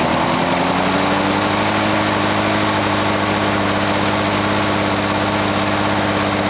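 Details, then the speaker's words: 1980s Lawn-Boy two-stroke mower after cleaning repair, previously wouldn't run after running out of fuel: steady high-speed buzz, tach reads about 3480 rpm, firing evenly without surging or misfires; speed fine per label, choke off, running normally. "I run foreign RPM she runs 34.80 which is fine it feels like the throttle is back or at least according to the label"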